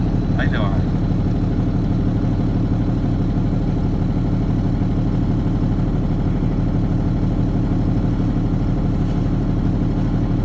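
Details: Cummins ISB diesel, no-start with rail pressure not building; number six injector stuck open, fuel blocked off to it: rough running with uneven pulse under the clatter, one cylinder dead; faulty injector misfire.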